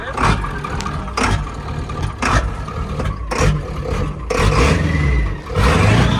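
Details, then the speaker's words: Ford F-250 Powerstroke diesel on fresh diesel with additive, fuel bowl changed, throttle held down: stumbles and surges unevenly with heavy smoke; rough running misfire, owner suspects the other bank. "That was almost good for a second. That ran like 50% of 80% good."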